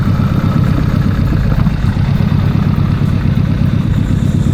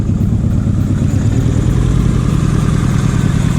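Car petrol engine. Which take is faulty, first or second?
first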